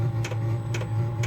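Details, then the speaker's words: Vevor 12 V diesel heater just lit in a cold garage: steady low hum, likened to a V1 buzz bomb, with a soft fuel pump tick about twice a second; running normally and warming. "Listen to that thing hum. Sounds like a V1 buzz bomb."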